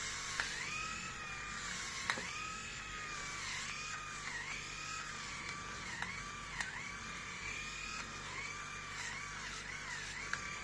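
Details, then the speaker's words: Grundig MS7640 electric shaver, new, on its first use shaving a day's head-hair stubble in a 28.7 °C room: a thin whine whose pitch dips briefly every second or two. The motor seems to bog under load; the owner feels it struggles more than his previous shaver. "okay so i don't know how much it was how much you could hear but it seems like it's struggling i mean it sounds like it's struggling with my hair what i shaved yesterday"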